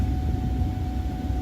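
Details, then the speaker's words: 1994–2004 Ford Mustang HVAC blower before repair: dead on low, M1 and M2, running only on high with a steady low roar; motor has power, so the blower motor resistor has failed. "since it's not running in low but is running in high I know I have a bad resistor and it can't be anything else"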